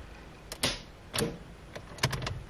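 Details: Renault Duster with automatic selector in Park gives sharp lone starter clicks on key turn but no cranking; not the battery.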